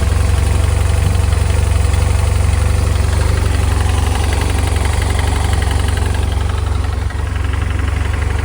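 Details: 2007 BMW F800ST at idle: a steady tapping knock, about four a second, over a low, even idle; owner suspects piston slap, unconfirmed.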